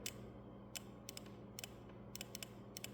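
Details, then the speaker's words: GMC/Chevy truck ride selection switch test: with switch on firm and ignition disconnected, tapping it gives sharp, crisp clicks, mostly in pairs, from the ride selection relay switching normally. "so that's a relay clicking in there and it's just an easy way to um simply go and diagnose your your ride your ride switch"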